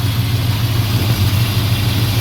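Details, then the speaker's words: Fully restored 1968 Dodge Charger R/T, 440 big-block V8, manual; deep even idle with smooth low rumble, no lower-end knock, valvetrain tick or exhaust leaks; running incredibly smooth and healthy. "Running incredibly smooth. No exhaust leaks. No noises over here."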